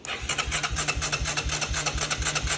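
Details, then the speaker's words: Honda Fourtrax 300 4x4 ATV abandoned five years, first crank after carb cleaning: starter turns it briskly with even chuff, about nine compression beats a second, never dragging; good compression. "Oh my gosh. It cranks over and it sounds like it has pretty good compression. It's not struggling."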